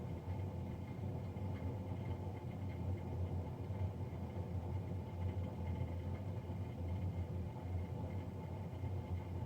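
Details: Navien NCB-240 boiler recorded three days after a Jan 31, 2020 service: heavy low rumbling drone with steady hum, no clear rhythm; combustion fan running much louder than normal.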